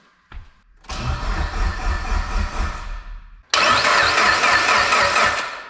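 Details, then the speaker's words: Built Evo 8 engine cranked with the crank position sensor and all coil packs unplugged so it cannot fire: two even cranking runs of a few seconds with steady rhythm and no knocks or scrapes, sounding healthy. "this thing sounds good you know when you turn the motor over and you can tell if it's healthy or not this thing sounds healthy"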